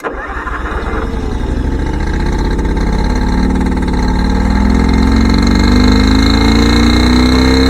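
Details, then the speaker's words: John Deere 720 diesel pony start motor running with the rear two plug wires off, on only two of four cylinders: it fires up and runs unevenly with a loping beat as revs rise. "we're only running it on two cylinders but believe it or not it's got enough power to to start the engine up"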